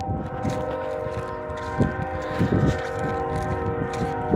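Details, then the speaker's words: Union Pacific locomotive air horn stuck on for about five hours: distant unbroken horn chord droning steadily, rural background and passing rumbles; horn cannot be shut off. "It's a train horn that's stuck on. Oh, the train. Yeah, it's a train horn and it's stuck on. They can't turn it off."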